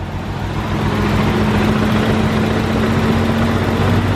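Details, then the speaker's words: BMW E34 M5 with S38 engine (mechanical lifters) at 335,000 miles: smooth, even idle with steady low hum, no ticking or valve clatter; runs decent, likely had valve adjustments done; normal idle. "I'll be honest this car actually runs kind of decent it sounds good this does not sound like a 335,000 mi engine I thought this thing would be clattering"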